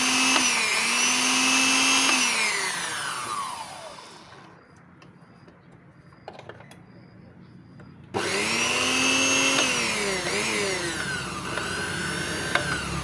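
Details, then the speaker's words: Wongdec turbo-power blender after repair of a stiff, seized blade shaft (ring and gear refitted): motor spins up to a smooth steady high whine, coasts down, restarts and runs evenly, no rattle or grinding; healthy. "สุดยอดเลยพลังTurboremapมีพลังเทอร์โบนะครับ"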